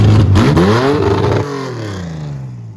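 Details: Widebody BMW E30 on MegaSquirt ECU, first test drive in 2 years: revs climb then fall away with an uneven raspy note under throttle; owner says it has tuning issues; rough running under acceleration.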